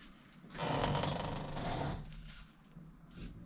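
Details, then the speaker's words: 2010 Vauxhall Corsa SXi 1.2 petrol, front hub spun by hand after fitting new discs and pads: soft swishing rub rising and fading, pads just touching the disc, hub free and easy to spin; normal light pad contact. "And you can hear the brake pads just touching the disc, which is perfect. It's free and easy to spin."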